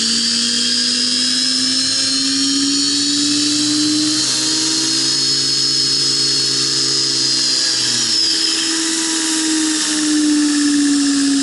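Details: Prototype belt grinder center-tracking assembly, steel wheel on a shoulder-bolt axle, first run at high speed. High wavering whine, then low notes die as the wheel heats, expands, binds and stops.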